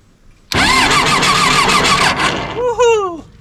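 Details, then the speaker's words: John Deere 755 turbo diesel crawler track loader, sat over 20 years; quick even cranking with steady fast rhythm and strong whine, starter spinning the engine over fast; not yet primed or started. "thing turns over fast all right I'm not going to do anymore"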